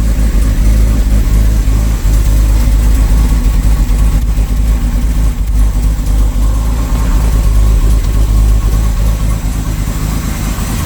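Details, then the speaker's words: Jaguar S1 XJ6 first started after 21 years, with oil pressure up and no smoke. Deep, uneven, loping idle with no steady beat; carbs need tuning and owner suspects vacuum leaks at a hose. "i think because it's got vacuum leaks there's a hose down here if i spray that clothes she grab"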